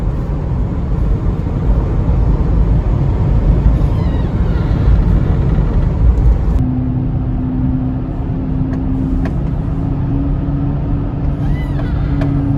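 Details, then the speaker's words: 2004 Chevy Trailblazer LS EXT 4x4, 4.2L six, after new front wheel hubs: coasting downhill on smooth pavement, only even tyre and road rumble, no growl or hum with speed; earlier front passenger hub hum fixed. "i can coast i don't have any engine noise whatsoever and didn't hear a thing so that humming noise was definitely the wheel hub because now it is no longer humming"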